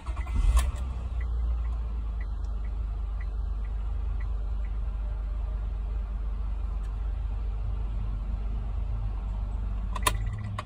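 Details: High-mileage 2006 Honda Accord 3.0L that previously only clicked without cranking: after cleaning the corroded starter solenoid signal wire and its terminals, a short crank burst is heard, then a smooth, steady idle; it starts normally.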